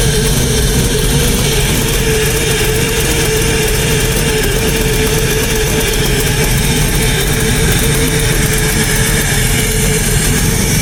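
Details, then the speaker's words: LS-swapped Chevy Blazer: loud rough V8 rumble at idle with sharp puffing tick on every firing pulse; exhaust leak, to be fixed. "So, sounds really mean. There is an exhaust leak. I know everybody can hear that. I will fix that."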